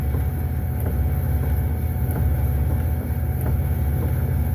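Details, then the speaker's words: 2005 Pontiac Aztek AWD in gear, AWD disengaged and won't re-engage: steady low drivetrain rumble with periodic clunks about every 1.5 seconds; owner suspects the rear end/gearbox is blown, possibly from heavy weight, unconfirmed. "see how it's moving after this flunk clunk clunk. I think the rear end's blown out."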